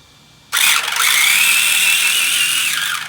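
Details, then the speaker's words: Traxxas Summit RC truck on 6S instead of 4S, trigger pulled on concrete: harsh high-pitched grinding rasp about three seconds as the motor spins up, plastic spur gear stripped, teeth skipping; gear kept as weak link protecting diffs. "hear that horrible noise well I did strip that I hit the trigger once"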